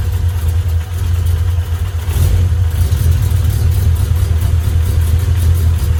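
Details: Honda B18 "race" engine from eBay, first run before mapping, fuel pressure about 50 psi: smooth steady four-cylinder idle, no ticking, knocking or hunting; no smoke or leaks, healthy.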